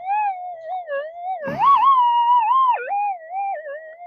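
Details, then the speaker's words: Modified, boosted Minelab metal detector at test site, manual tune 220, normal timings deep, lightning and heavy cloud overhead: wavering gliding whistle slides up and down instead of a steady threshold; interference noise, owner suspects lightning, unconfirmed. "No, I think it might be picking up lightning. We got a lot of cloud above us, and it spits."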